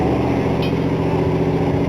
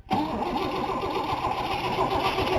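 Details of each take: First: 1960 Cadillac V8 idling steadily on its own with a low, even rumble and no misses, after brake work and a new ignition key; it was primed and nearly out of gas. Normal idle. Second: 1960 Cadillac after brake work and a new ignition key: the starter cranks steadily, the engine catches and roars briefly, then dies from fuel starvation and needs more priming to get gas back up; stalling from fuel starvation.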